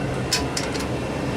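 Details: Furnace blower after replacing the water-corroded control circuit board, with compressor running: steady, even airflow hum with a couple of light clicks, no grinding or squeal; blower runs normally.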